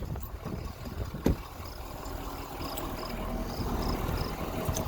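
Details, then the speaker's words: 2018 Ford F-350 6.7L Powerstroke diesel, one owner, 94K miles, factory EGR intact, under-hood idle: steady low diesel rumble with even clatter, no knocks, misses or rough patches; healthy. "sounds healthy sounds like a six seven I've driven quite a few of these trucks they make real good power"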